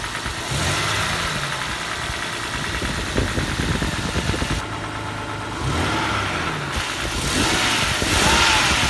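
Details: Toyota 1G-FE engine running with a sharp, uneven knock about three times per second over the idle; engine knock, cause not identified.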